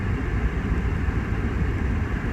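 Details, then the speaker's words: 2008 PT Cruiser after ignition coil pack replacement for cylinder 3 misfire code, idling at a stop sign with AC on; low, steady, even rumble, no dips or stumbles, idling smoothly where it usually bottoms out. "the thing is it does seem to be like driving lighter like usually I have to keep stepping on the gas so it just seems like it's not so like hard on the engine"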